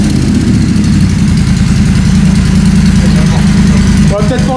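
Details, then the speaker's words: 2016 Triumph Bonneville T120 twin, first start after fitting new short pipes with catalyst removed and heat wrap, checking for exhaust leaks: loud, deep, even idle thump with steady beat, no misses or ticking; idling cleanly. "Voilà, là c'est une Triumph. Là c'est une Triumph. Laisse-la tourner un petit peu."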